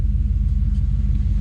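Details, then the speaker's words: Trackhawk SUV small-block V8 after tune-up and service, after throttle-body cleaning, firing order confirmed right: steady even low rumble, regular firing pulses, no misses, knocks or ticks; better oil pressure than before. Normal idle. "And it turns out, hey, guess what? I got the firing order right. Oh, that sounds healthy now."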